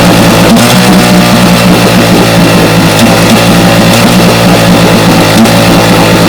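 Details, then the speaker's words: Vintage 1961 10 hp Johnson two-stroke outboard on test: loud uneven, stumbling beat as the top cylinder misfires; a timing light on the top coil blinks rather than holding steady, traced to pitted breaker points. "as you can see the top cell is missing pretty bad when that light is blinking like that not a steady light that's the top cylinder is missing"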